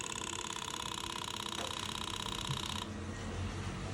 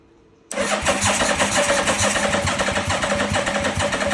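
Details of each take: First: 1985 Yamaha Vmax unrun for 10 years, with fuel pump in and new hose rigged up, at key-on: steady buzzing whir for about three seconds then settles; fuel pump priming normally. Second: 1985 Yamaha Vmax unrun for 10 years, pistons free, pump in and new hose fitted: steady starter cranking about three to four turns a second for several seconds, no catch or firing; extended cranking, no start.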